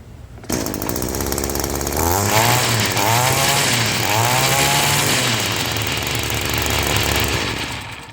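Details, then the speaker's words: Echo two-stroke weedeater running: buzz rising with throttle over a loose rhythmic slapping as the drive shaft spline slaps the aluminum shaft tube. "the shaft is slapping the the spline that's inside that connects the motor to the end uh is slapping against the aluminum shaft"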